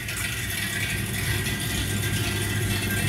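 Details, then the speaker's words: Home central-heating radiator with the boiler firing: a steady metallic rattle and constant watery hiss like water running through it. It persists until the boiler stops, even though the radiator has been bled. "you can hear the water running through the radiator now it's just starting up that noise stays all the time only stops when the boiler stops"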